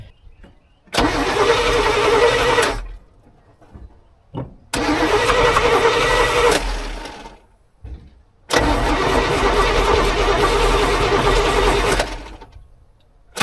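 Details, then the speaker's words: 1986 GMC square body, sat 9 years, two-stroke oil added to fuel for lubrication, first start attempt: three long cranking bursts with even starter rhythm; turns over but never catches. "all right we'll try this still I think we can get this to get this to go"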